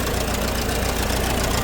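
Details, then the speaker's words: Old grey Fergie tractor idling after years sitting in a field: a steady, smooth low idle with no knocks or misses, while an oil leak is suspected from a damaged oil pressure gauge pipe. "anyhow regardless of oil leaks she's running and she's running sweet as a nut again"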